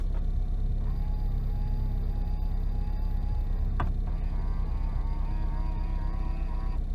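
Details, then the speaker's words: Worn Honda Civic, right power side mirror adjusting: thin buzzing whine over low rumble each time the mirror moves, far louder than usual; noisy mirror motor. "can you guys hear that i've never heard such noisy mirrors"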